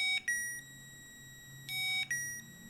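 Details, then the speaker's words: 2005 Honda VTX1800 that sat 10 years, with the power probe applied directly to the fuel pump harness. Two high beeps confirm a good circuit, but no pump hum follows. Pump is dead; it was later found ruined by old fuel. "all right so when we touch it we see that there's a green light and we hear the beep that means that there's a good circuit when i try to send it power i'm sending it power however nothing's happening"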